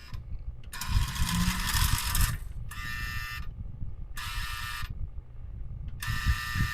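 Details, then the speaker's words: Customized project switcher model locomotive bought non-running, first run test: harsh high buzz in bursts of about a second over a low motor rumble; loud E unit, owner suspects the heavy wiring; loud buzz while running. "Okay, well, as you can hear, it has got a loud E unit, probably because of all the wiring that's in here."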